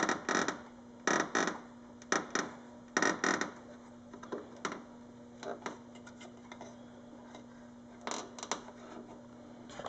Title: Dodge Charger front fascia creaking noise